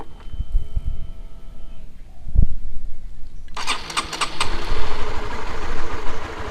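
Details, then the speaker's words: Used motorcycle test start, engine left unthrottled at about 1500 rpm idle: engine catches and settles into a steady, smooth low idle of about four pulses a second, no knocking or misfire; normal healthy idle. "nah ini dia ini normalnya ini normal suaranya juga masih halus nah kalian harus biarkan jangan kalian gas ya"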